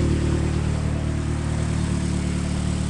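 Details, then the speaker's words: Car engine running after all four rod bearings were replaced to cure rod knock; even, steady note with light revs and no knocking, an exhaust puff from a hole in the exhaust. Normal running. "And that's what it is right there, man. No rod knock at all. Don't worry about that noise. There's a hole in the exhaust."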